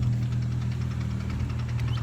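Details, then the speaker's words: 15-year-old Infiniti G35 at idle: light, quick ticking over a steady petrol idle without changing pace, worse than a week earlier; the owner says it is not the engine itself, and the source is unidentified. "I don't know who's gonna do it just yet can y'all hear that clicking I'm gonna pop the hood so y'all can hear it even more or get a better hearing on it"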